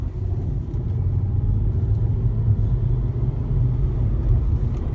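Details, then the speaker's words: Volvo C30: a low, uneven flutter from under the car under light braking, turning to popping when the brake is pressed harder. "So a light flutter now. You can hear it."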